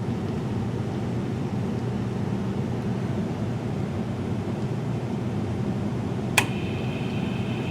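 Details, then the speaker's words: Carrier furnace humidifier test, set to highest humidity: steady blower hum, then one loud click as the water solenoid valve opens and faint water hiss; normal operation. "maybe it didn't really move but I'm sure you heard that loud click"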